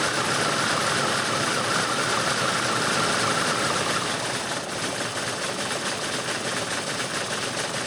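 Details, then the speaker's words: Engine on a farm machine, with oil leaking and blow-by suspected: uneven stumbling beat, about three to four pulses a second, not settling; won't fire cleanly when throttled, suspected timing issue or misfire, not confirmed. "ہہ آپ اسے throttle دینے کی کوشش کر رہے ہیں اور یہ فائر نہیں کرے گا"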